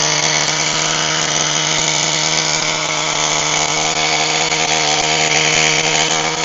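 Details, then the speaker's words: HPI Firestorm 1/10 nitro stadium truck, previously seized engine now fixed, preheated: high steady buzzing scream at constant pitch, no misses or sputter; running well with good compression. "now that I'm happy that the engine is complete and running really well with some good compression"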